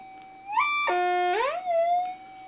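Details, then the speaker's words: Modified Minelab GPX-4500 metal detector, manual tuning 80–100, switched from enhanced to normal mode: steady high hum with a couple of swooping rises settling back to even tone; quiet, stable threshold. "This is a modified GPX, and you can hear how quiet it is. It's very, very quiet."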